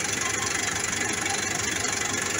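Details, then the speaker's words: Massey Ferguson 440 tractor diesel, non-turbo engine: rapid steady knocking (about seven per second) over harsh idle, sounding near the exhaust; tractor lost power and pulling force; cause not found, valve clearance readjusted without change. "وفي هذا الصوت طرق اللي تسمع فيه عمل نقص بالقوة تاعو، مولاش قادر مولاش يمشي مليح، نقص حتى بالتيراج"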